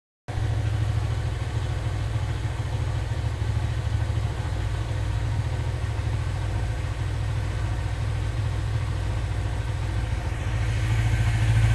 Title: Cbz engine knocking sound